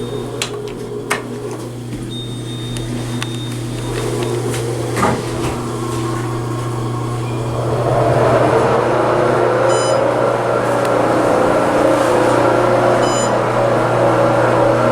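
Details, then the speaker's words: Otis Gen 2 traction elevator hoist motor, elevator believed newly installed when the building became a hotel: a loud steady low hum with scattered clunks, then a harsh rushing roar as the car moves; the motor sounds abnormally loud and rough. "i'm not sure if that motor is original or not if it is that sounds bad holy crap"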